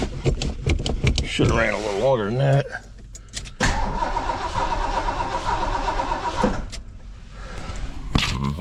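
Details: 1973 Ford LTD V8 barn-stored about 38 years, running on fuel poured into the carb bowl: after cranking catches, runs rough about three seconds, fades and dies; suspected fuel starvation, bad-looking fuel pump, carb likely needs rebuild; starts then stalls.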